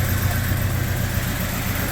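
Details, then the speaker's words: 1996 Jeep Cherokee after worn timing chain and harmonic balancer replaced: smooth, regular idle with even beat, no stumble or rattle; sounds better than since bought, no full rebuild needed. "but it sounds way better so that was definitely the issue so won't have to do a full rebuild just a little timing chain but it sounds better than it sounded since I got it"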